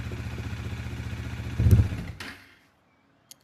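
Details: Bajaj Dominar 400 that sat 4–5 months and whose fuel pump would not prime at key-on, started after reconnecting it with priming restored: even, quick thumping idle, a short throttle blip, then a clean shutdown; fuel pressure not yet checked.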